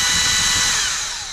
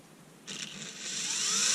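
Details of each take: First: Erbauer 18V brushless drill with suspected failed motor driver circuit: high-pitched motor whine holds about a second, then sinks as it coasts down; the drill spins briefly and cuts out. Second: Erbauer 18V brushless drill on a generic AliExpress replacement driver board, wires joined together and connected: motor whine climbs smoothly as the trigger is squeezed, holds, then eases down; variable speed finally works.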